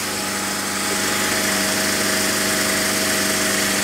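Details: Mercedes W124 with M104 petrol engine idling steadily with an even hum and no belt squeal or chirp, after re-tensioning the belt.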